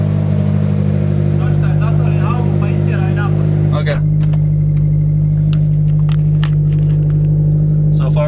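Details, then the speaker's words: Clutch operated in and out at steady idle on a BRZ/FRS/GT86 after transmission removal to replace the throwout bearing; no whirring or chirping from the release bearing, throwout bearing noise gone after repair. "good car turned on I'm putting a frisky here started rolling a bit when I started losing the clutch I don't hear that they're all bearing noise anymore"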